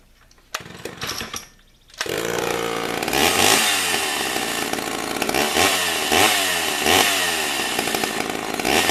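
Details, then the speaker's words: Chainsaw (Stihl MS 291 / Husqvarna 455 pair) after new piston and cylinder replaced a scored, seized one: fires after a couple of pulls and holds a strong, even high-pitched run with crisp revs; healthy, good compression. "but I put a new piston and cylinder in it now it's got a ton of compression compression in into it but it does work"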